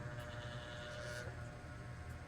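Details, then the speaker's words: Old clip-type electric fan running after its parts were adjusted and retightened: a low, steady, even whir with no rattle or scraping. The fan is now quiet and normal. "Yun guys, hindi na siya maingay."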